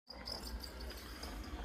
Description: Our Narwal Freo X Ultra was sooo squeaky I couldn't stand it anymore.